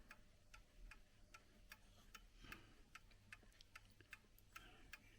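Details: Mostly plastic or resin chiming clock bought at a car boot sale: crisp, evenly spaced ticks about two and a half per second with no limping rhythm. The clock is running in beat.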